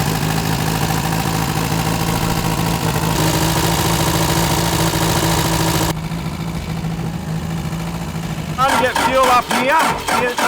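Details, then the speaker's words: Daihatsu Scat 4x4 diesel revived after about 15 years. Low fuel delivery at the pump suggests a stuck rack, so the rack is driven by hand while cranking. It fires into a lumpy idle, then falters. Starts only with the injection pump rack moved manually. "I'm deep inside the fuel pump and I'm going to manually Drive the fuel pump while we crank it over and see if we can get it started"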